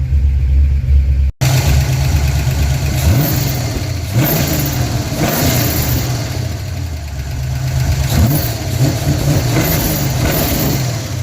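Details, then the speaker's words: 1988 Ford Mustang GT V8 at first start since 1999, catching into a lumpy idle with rev blips and a light clattery rattle on top; suspected loose, misadjusted rocker arms. "We had some rattling that sounds like it's the rockers misadjusted."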